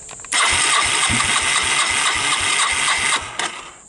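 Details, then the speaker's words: 1985 Yamaha DX225 ATC, after an electrical no-crank fix, cranks steadily about four turns a second for three seconds but never fires; owner suspects it is not getting fuel. "So, um, you heard me cranking it and she she wouldn't fire up. So, you know, I gave it a little hoot of starting fluid to see if that helps. Um, all good. And and it it's just not not getting any gas."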